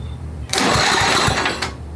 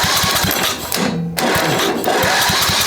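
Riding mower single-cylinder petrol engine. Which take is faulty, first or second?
first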